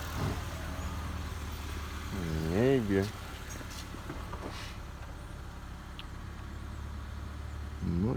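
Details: 2019 Ford Fiesta after fixing crank-no-start from messed-up timing and excess injector cleaner, cams and piston retimed, belt and alternator not fitted: low steady idle with no stumbling or misfire.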